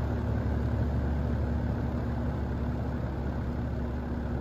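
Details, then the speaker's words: GE box fan motor after repair of a winding broken in a drop (soldered, heat-shrunk, windings coated in liquid electrical tape), blade fitted, on high: steady even rush of air over a smooth low hum, no rattle or ticking; normal operation. "I don't know but it's running just fine so I'll put the blade on and we'll be able to listen to it right yeah let's start it up on high"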